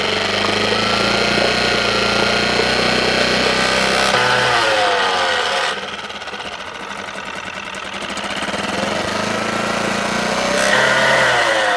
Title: Suzuki DF-6 strange noise